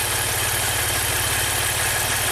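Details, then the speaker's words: 2016 Maserati Ghibli Q4 twin-turbo V6, 60k miles, misfiring, no power, timing and cam sensor codes; idle during cylinder drop test unplugging bank 1 coils 1–3: steady low loping thump, no change, bank 1 dead, engine suspected out of time. "No change. No change. No change. And actually the wires are labeled 1, 2, and 3, 4, 5, and 6. So 1, 2, 3, 4, 5, 6. That's the cylinder layout. This bank is dead."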